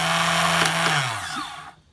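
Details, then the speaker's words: Suzuki Quad Runner 250 under restoration, starter engaged via flaky start button needing firm press: strong even starter whir winding down smoothly when released, no grinding or slipping; healthy starter, though double clicking noted. "starter motor on now the start button was flaky I need to press it firmly"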